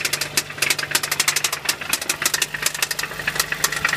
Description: This is a 1990 4Runner with a 22RE motor. it has 223k miles on it, and I think a rod is knocking, along with a tick from a valve.